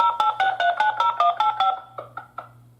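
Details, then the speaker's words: Interlogix NX-8v2 alarm panel after a basement window opened and triggered an instant alarm: a quick run of about a dozen dialed digits then clicks; the phone line is busy on an active call, so the panel cannot report. "So you can see that the panel is currently trying to attempt to dial the alarm, and it is not working, which is problematic because now, since the phone line is still being used, I'm still currently active on the call, it's not going to be able to send any message."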